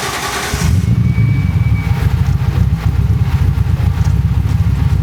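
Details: Datsun Z car, back on the road after six years, after remote tuning and ECU grounding fixes: engine catches after a brief crank and settles into a smooth, even low rumble, no misses or knocks; healthy idle.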